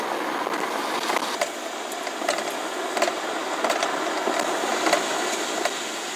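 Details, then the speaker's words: 2009 BMW E90 328xi, lav mic taped to the front suspension while driving: sharp metallic ticks about every 0.7 seconds over a steady hiss. The knock was traced to a worn front sway bar end link, which the owner replaced. "I don't know if you came to the same conclusions me but that last one sounded much different more metallic to me and so that's what I'm gonna buy and that is the sway bar link"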